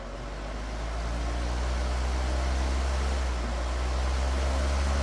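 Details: Household fan after disassembly, cleaning and oiling to cure a high-pitched squeak (hair bound on shaft suspected); motor spins up to an even steady low hum, no squeal or rubbing. Normal fan running.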